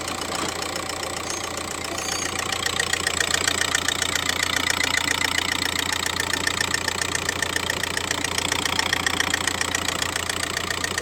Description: In this video, I show an Audi 1.9 TDI with a clear engine ticking sound.